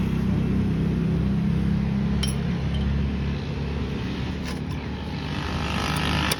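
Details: Suzuki Alto 660cc small engine idling with rough droning rumble that eases partway through, from a worn clutch release bearing.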